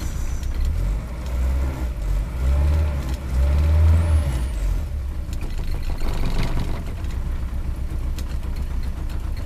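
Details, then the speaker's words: Rover P6 idling cold with the choke nearly in: lumpy, uneven idle but it revs with no coughing or spluttering; the loose rattle over it comes partly from a door left ajar. "If I push it right in, she ain't even warmed up, not yet, and she's running a little lumpy now. But she'll rev up. No cough or spluttering, but she's just running a little bit lumpy."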